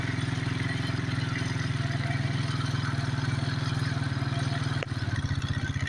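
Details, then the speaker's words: 1992 Suzuki King Quad 300 single-cylinder idling on choke; the low steady thump starts throbbing unevenly, running rich, showing it is time to take the choke off after warm-up. "Okay, you can hear the idle throbbing now, so it's time to take the choke off."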